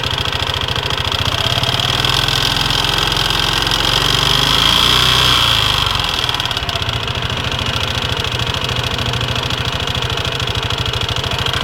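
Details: Leo 250 small engine idling with a rapid ticking and a thin, high whistling tone; cause unidentified.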